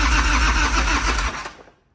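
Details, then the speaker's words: 1993 Harley-Davidson FXR, S&S 82ci V-twin, five-speed, under 30 miles, cold start, fuel on, clutch pulled, choke not used; starter churns about a second with no firing; cranks but won't start. "oh there's a choke oh there's a choke yep we're rookies at this this is our first Harley-Davidson"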